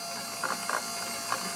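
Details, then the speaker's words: 2007 Pontiac G6 GT convertible with a 3.9 engine, wipers switched on: the wiper motor whirs steadily with soft clicks, but the wipers don't move. The wiper transmission or linkage bushing is suspected, not an electrical fault. "but the motor is riding right along the wipers aren't moving"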